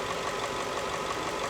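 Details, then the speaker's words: Ford F-150 V8 at 240,000 miles after a tune-up with new spark plugs and air filter: even, steady, purring idle with barely any shake; normal idle. "She's purring. Legitimately purring. Barely any kind of shake to it."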